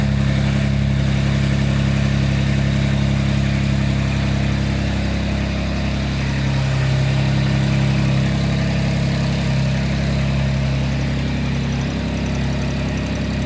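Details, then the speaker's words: Bronco race build for King of the Hammers; deep, steady idle with an even low rumble, no misses or knocks; running happily. "yeah it sounds like everything's pretty happy though"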